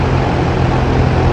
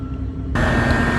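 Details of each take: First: Trane XR13 AC outdoor unit after replacing a failed capacitor: only a steady low fan drone, no compressor hum; compressor not starting, tripped on thermal overload. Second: Trane XR13 condenser after fixing a compressor that would not start: compressor comes on abruptly with a steady hum and clear high tone, running smooth and even; normal running.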